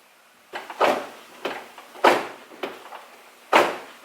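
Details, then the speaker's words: Nissan 350Z trunk failing to latch after a drifting session, heard from inside the trunk. Several hollow slams about a second apart with no firm click; the latch bar isn't catching, later narrowed to a trunk latch actuator gear stuck open. "it's not wanting to close like I've been showing you guys I've been getting it to club which means that that bar back there is not catching for some reason"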